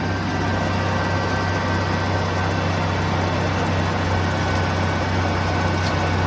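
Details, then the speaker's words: 1980 Ford F100 V8, first start after 20 years sitting outside, mystery oil added to the cylinders and burning off; smooth, even, quiet low rumble at idle with no knocks or ticks, oil light out; normal healthy idle. "it's too quiet the mystery oil is burning out of the cylinders that's fine it sounds really good i mean i'm shocked how good it sounds absolutely"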